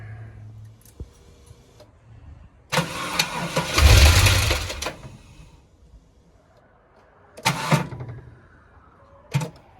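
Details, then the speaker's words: Supercharged L67 engine after maintenance and mods, snapped snout bolt replaced; key turns give short harsh bursts but crank doesn't move while supercharger spins freely; owner suspects damage from bashed spark plug, unconfirmed. "charger spins freely that's cool crank doesn't move that's not cool"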